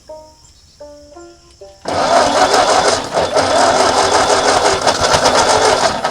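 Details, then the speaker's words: 1939 Ford tractor that sat in a field 20+ years, first cranking on poured-in fuel, alternator loose: ragged uneven firing for about four seconds then quits; fires briefly then dies. "we know it's firing it's used all the gas until we know it'll run"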